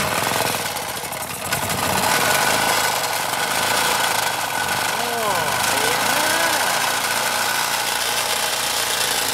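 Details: Small Champion generator from the dump, bought for 30 bucks: fast, even chatter at steady speed with no stumbling or knocking; healthy running engine.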